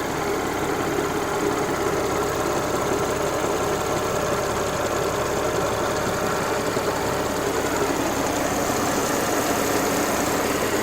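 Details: Audi S4 B8 petrol engine idling warm after about 15 minutes of hard driving, following oil change to Pentosin 5W40 HP2 that cured an earlier rattle; smooth even idle with light steady whir, slight noise from front left; sounds healthy.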